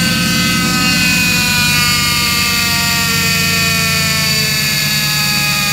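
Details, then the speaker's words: 2005 Ford F-150 5.4 L V8 at idle, before pump replacement: loud steady high-pitched whine over the engine from the diagnosed failing power steering pump. "all right guys so today we have a uh 2005 Ford F-150 5.4 liter uh with a terrible power steering noise uh diagnosed it here is the pump"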